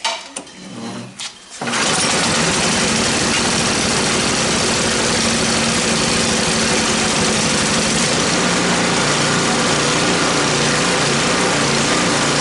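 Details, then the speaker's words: Snow blower, first pull of the season (cold start). Fuel on, ignition on, full throttle, choke closed, primed, ethanol-free gasoline. Short cranking, then it fires at once and settles into a quick, even beat. Normal cold start and run. "all right let's see if we can get a first pull here we'll go fuel on ignition on throttle full choke closed prime"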